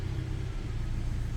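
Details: Hyundai Elantra with prior stalling issue, started after throttle body and idle air sensor area cleaned of dirt: short low steady idle just after start-up, smooth and even with one light click near the end; sounds better, healthy.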